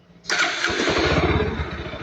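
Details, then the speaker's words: 2022 Kawasaki NS160 FI after repair of an idle that rose and fell: a start that catches at once, then settles into an even, steady idle with no hunting; the idle is normal now. "Ayan normal na siya. Isa pa yan oh. So hindi na siya pag-op pagbabago na."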